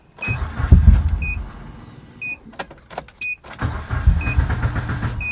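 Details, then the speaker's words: Mitsubishi Evo 8 with a newly installed fuel pump housing: two bursts of starter cranking with warning chimes between, and the engine never catches. The pump line shows too little fuel to start; low fuel delivery, pump to be pulled and inspected. "so i just disconnect this line to the fuel pump and you can see there is no fuel i mean there is fuel but not as much as it should to start the car up"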